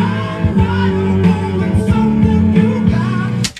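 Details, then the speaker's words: Kenwood KX-644W dual cassette deck after drive cog and rubber O-ring replacement: music plays off-speed with slightly unsteady wavering pitch; wow and flutter because the replacement cog wheel is the wrong size. "now this one since the Cog wheel isn't the right size it runs at a weird speed and you can kind of hear that wow and flutter but that's to be expected"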